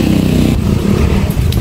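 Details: Honda XRM 125 idling two days after an engine overhaul: a quick, regular ticking knock over a loud single-cylinder idle, keeping time with the engine. Knocking inside the engine.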